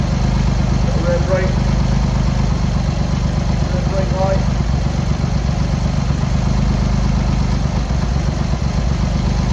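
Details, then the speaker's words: Cold Triumph Hurricane X75 triple, rebuilt carbs just refitted, choke on, pilot screws thought about 7/8 out, left-hand carb later found misadjusted: uneven loping idle beat around 160 a minute, one cylinder seemingly firing intermittently; carb tuning suspected needed; uneven cold idle. "Probably do need to give it a bit of tune. So we'll check the turn ignition off."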